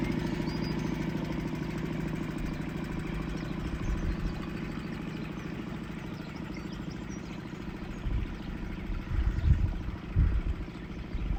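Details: Suzuki 2.5 outboard on a boat after its carburettor was cleaned ultrasonically to fix long-standing idle problems, pottering along at idle only: a smooth, even putter with no surging, hunting or stalling over light background noise, a normal idle.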